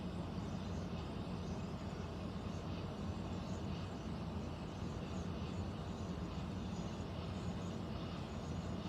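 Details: Central air unit heard in the bedroom, seemingly above the closet, owner also wondering about a leak: steady, deep rumbling roar with no rhythm or pitch change. Abnormal air handler noise, cause not determined.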